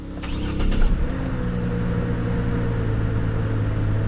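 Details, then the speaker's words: 2009 Saab 9-7X no-start after PCM replacement and vehicle theft relearn: short crank, catches within a second and settles into a steady, even idle; class 2 communication fault suspected, key light still on. "And it's running. All right. So, this thing never needed a computer."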